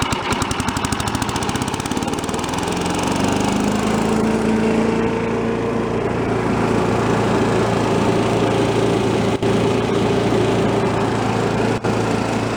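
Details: Troy-Bilt chipper vac small single-cylinder engine, warm restart outdoors after carb work (O-ring still awaited): fast cranking catches straight away and settles into a steady, even run; healthy warm restart.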